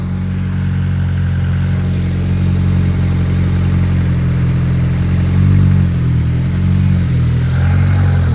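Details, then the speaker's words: Turbocharged, untuned Honda Civic after a pull, wideband reading lean at about 11 and fuel pressure low near 30: low idle surging and sagging in a slow uneven pulse, near stalling unless revved; pulsating rough idle, cause suspected, not confirmed. "And you can you can probably hear that it's like pulsating."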